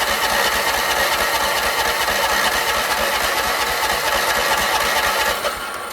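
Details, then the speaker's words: Troy-Bilt 30-inch rear-engine rider: ether sprayed into the filterless intake, starter jumped at the solenoid. It churns steadily for six seconds without a pop. Spark check finds a rusty plug and no spark. "Not even any signs of it igniting. Got to check for spark now."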